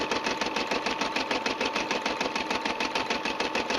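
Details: Brother SE 350 finishing an embroidery design; fast, even needle clatter about three stitches a second with steady motor whir and no knocks, described as sounding very good. Normal embroidery run.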